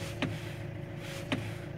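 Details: 2008 Fiat Scudo: two dull single knocks about a second apart over a quiet idle hum, heard only when turning the steering wheel left, silent turning right; traced to worn steering shaft splines, not the cross joint or steering rack.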